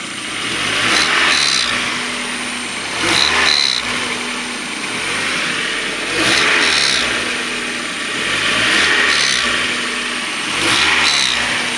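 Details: 1994 Mazda Miata M Edition, 130,000 miles, rear main seal oil leak: faint spinning whir each time revs drop, seeming to come from back of intake side of head; owner once suspected CAS but doubts it, cause unknown.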